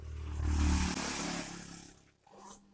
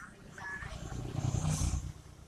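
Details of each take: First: Twin-tub washing machine spin dryer, spinning slowly and leaving clothes wet. The motor gives a steady low electrical hum but will not turn unless the basket is pushed by hand, and there is no brake. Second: Twin-tub washing machine spin dryer, after rewiring the capacitor and timer, previously spinning slowly: low steady hum builds and holds as the drum spins fast with no scraping or knocking; normal spin.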